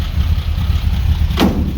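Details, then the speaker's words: 1945 Jaguar MK4 2.5 after coolant pipe replacement and engine flush, cold morning start after starting trouble the day before: low, even idle rumble with a steady beat and one brief thump, firing on all cylinders; smells a bit rich. "acting very good this morning because yesterday I had massive problems getting it to start."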